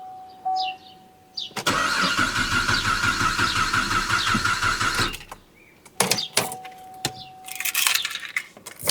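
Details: 2009 Cadillac CTS 3.6 V6 RWD crank-no-start after patching and a theft-deterrent abort. About three seconds of steady cranking with no catch, then short bursts; cause unconfirmed.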